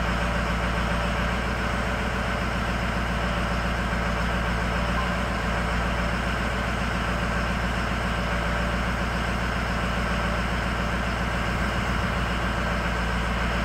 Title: Film schlechte Zylinderbalance high idle cyl 8 off